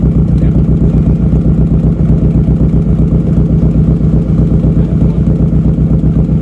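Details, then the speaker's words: Nissan Pulsar GTiR just started after seven years, smoke likely from injector cleaner: loud, pulsing exhaust beat, about four slightly uneven pulses a second; running rough, owners suspect ignition timing and long disuse. "yeah it's a bit smelly but that'll be cooling that'll be a bit of oil it hasn't been running a long time so yeah yeah and it is running rough so probably the next video you see will actually be us do the timing i think"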